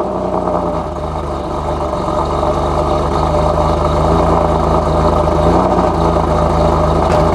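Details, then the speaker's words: Boosted Nissan 370Z Nismo, cold start after four or five days sitting, after all exhaust leaks were found and fixed. Settles into a smooth, even idle with no rasp or puffing; the exhaust sounds sealed. "this is exactly how she's supposed to sound no rash no nothing and this is a four or five day cold start remember that"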